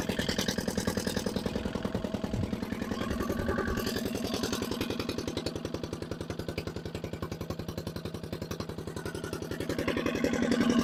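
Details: Barn-find dumper (Daphne) started for the first time, running with no exhaust fitted: very loud, harsh even chuffing about three and a half beats a second, very smoky, revs seem very high; owner suspects the injector, unconfirmed.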